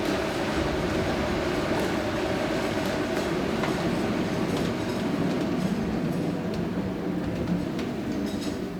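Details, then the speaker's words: Water-wheel-driven 1797 grist mill at Union Mills Homestead, Carroll County, Maryland, grinding corn; steady deep rumble, grain rattling, loose even clacking from gearing, little vibration, no knocking or grinding: normal running. "No, but the sound is beautiful. Yeah. It's like, And you can see there's not much vibration."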